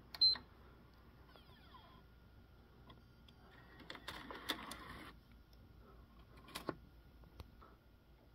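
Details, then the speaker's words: PlayStation 5 Slim ejecting a game disc: brief soft motor whir with light clicks; normal disc eject. "so there you have it that's the sounds it makes during a load up and uh starting a game as well as the disc drive"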